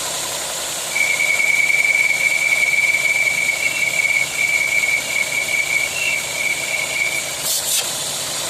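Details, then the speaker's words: 2021 VW Polo at idle: a high thin whistle rides steadily over a quiet idle and fades as things settle; a split oil filler cap diaphragm is leaking, and removing the cap stops it. "Não tem lógica o negócio é esse só o diafragma da tampa do óleo do motor tem problema causa esse barulho posto beleza"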